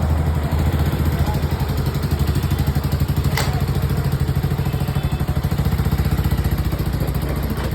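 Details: Small single-cylinder bike running after timing chain adjustment for a ticking noise: a quick, even low beat with no tapping from the top end; sounds healthy.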